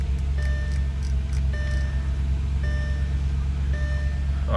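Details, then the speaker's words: Audi S4 V8 after DIY fix for red low oil pressure warning, not started since the previous day: steady, even low rumble at cold idle with no misfire or knock, a couple of dash chimes; healthy, warning gone. "all right guys this is literally the uh the moment of truth let's get into the car i haven't started it since yesterday"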